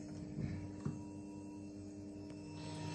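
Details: Two fuel pumps on PWM speed control via fan control module, dropped to idle duty at about 11 A after 100% duty test: quiet steady electric hum with a constant whine underneath, no surging; normal fuel pump operation.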